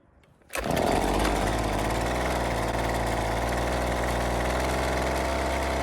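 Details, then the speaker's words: Husqvarna two-stroke trimmer, not a cold start, after turning the L (low-speed) screw a quarter turn counterclockwise for more fuel. It fires up and holds a steady, even buzzing idle without dying or surging. The idle screw still needs adjusting. Normal running. "So, it looks like adding a bit of extra fuel really helped out."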